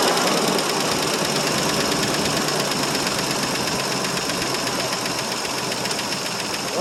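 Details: 1968 Mercury Monterey 390 FE two-barrel V8, cold start after roughly 20 years stored: uneven, lumpy idle with ragged irregular beat under heavy mechanical clatter; running rough, possibly a sticking valve, unconfirmed.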